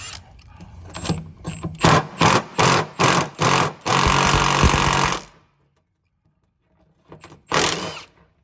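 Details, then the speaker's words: Cub Cadet 2544 idler pulley, removed and spun by hand: bearing shelled out, harsh gritty grinding in short repeated bursts; had been grinding for a while, pulley to be replaced. "That pulley shelled out. Man, that thing's been shelled out for a minute. How do y'all not hear that? Man, that thing's just grinding like crazy."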